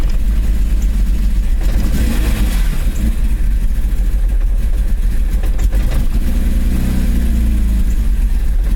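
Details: BMW E34 M5 with S38B36 engine: uneven, stumbling run with dropouts as it revs and settles, an ignition misfire from a bad distributor cap and rotor.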